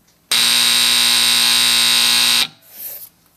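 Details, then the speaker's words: Home C3 septic system panel sounding its high-water-level alarm via the test button after clearing: loud, piercing, continuous buzzer tone for about two seconds, then stops. "there's a test button here and this is what it sounded like when it actually went into alarm"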